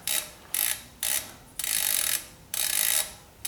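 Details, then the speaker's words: Mavic CrossMax SL mountain bike wheel freehub after rebuild with new hub, spacer and thin freehub oil: loud, crisp, fast even ratcheting in short bursts as wheel spins; pawls engaging normally, loud but as it should sound. "it's loud but that's the way it's supposed to sound"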